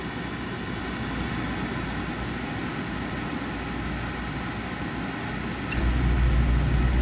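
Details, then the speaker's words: Spirit series 80% oil furnace on simulated heat call: steady low hum during oil delay valve, then near six seconds a soft thump and fuller roar as flame lights; blower follows; normal oil burner ignition. "there we go flame started well delay valve activate for several seconds and about 15 20 30 seconds the fan will kick on"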